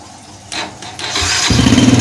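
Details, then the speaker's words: 2010 Yamaha Jupiter Z Robot after the starter motor was refitted: short whirring crank, engine catches within a second into a quick steady putter; electric start now works. "Alhamdulillah bisa guys. Kita coba lagi guys. Alhamdulillah bisa guys, bisa ternyata."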